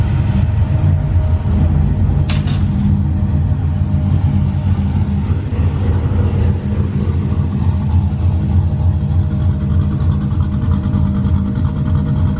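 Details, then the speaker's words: Cammed V8 heard during a cam install on an LS3 Corvette, presented as what the car will sound like when done. Deep, lopey rumble with an uneven choppy idle and a quick rev, healthy with an aggressive cam. "Well, that's what this is going to be sounding like when it's all done."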